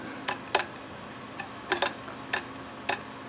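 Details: Homemade overhead-valve conversion of an antique Briggs engine, turned slowly by hand after setting exhaust valve clearance with feeler gauge: light crisp rocker taps, about one a second, unevenly spaced, no binding or scraping.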